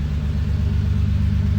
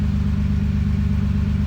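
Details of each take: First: Toyota 2JZ in an Altezza, first startup with a new Comp 6767 turbo: a deep, even, low rumble with a steady pulse and no misses; idling fine, though it sounds like a fat exhaust leak. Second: 2JZ-powered Toyota Altezza, first start with new Comp 6767 turbo: steady idle with fast, even puffing over a deep drone; loud puffing, suspected fat exhaust leak.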